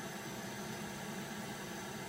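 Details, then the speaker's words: Takamine guitar output jack assembly tested by plugging the guitar cable into a 3.5mm earphone output playing white noise; steady, even hiss on both tip and ring with no crackle or dropouts, so the jack is good. "Okay, that's the ring. That's the ring. There's the tip. But we heard it on both of those, so we know that the jack is good."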